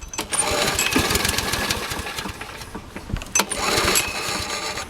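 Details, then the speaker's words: Toro Personal Pace 20332 22-inch recycler mower with a 7 HP engine, which earlier surged as if starving for fuel. The auto choke works. It sputters in ragged pops for a few seconds, then dies. Suspected lack of fuel from the carburetor or fuel system; not confirmed. "it's just not uh getting gas and to keep [Music] running so it looks like we're going to have to take uh the gas tank off and the fuel system"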